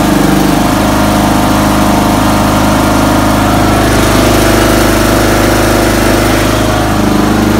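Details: 2006 Toro ZTR Timecutter mower after carburettor seat-inlet and float needle replacement, plus new oil, oil filter, fuel filter and spark plug: engine fires and settles into a steady, even, loud beat with no misses or surging.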